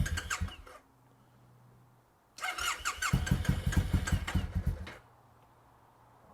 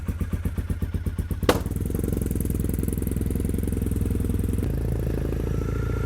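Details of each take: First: Triumph motorcycle (T100 or Bobber) after sitting in the garage most of the year: a short burst of cranking, a pause, then a long run of steady churning pulses at about two a second that never quite catches; slow, reluctant start. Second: Triumph T100 motorcycle started after sitting in the garage most of the year: uneven pulsing at first, then a steady, even low exhaust beat, a normal warm-up idle.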